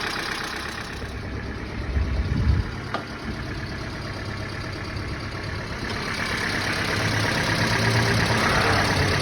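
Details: 1997 Hyundai Elantra 1.8, lifters replaced 5,000 km ago, Liqui Moly 5W-40 oil plus MoS2 and Liqui Moly hydraulic lifter additive: quick even ticking about three per second over rough idle; lifter noise persists, additive gave little or no reduction.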